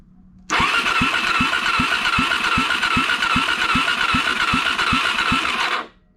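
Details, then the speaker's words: 2004 Suzuki DRZ400 non-runner, compression test with spark plug out: starter spins fast and evenly, about two and a half light strokes a second; just under 25 psi versus over 100 expected, head gasket or valve suspected. "there you go 25 psi just under 25 psi so something's going on either with the head gasket or valve"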